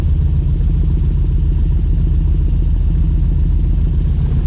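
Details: 1967 Volvo 1800S at start-up: fast, even idle with a smooth low burble, no knocks or misses; warming up and running healthy.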